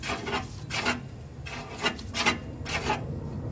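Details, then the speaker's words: Alternator on a VW Karmann Ghia, replacement unit, spun by hand: dry rasping scrape in bursts from incorrect shimming; rubbing means setup is wrong, fixed by adding two shims instead of the original one. "This is how you know you didn't set up your alternator right, when you twist it and you hear this."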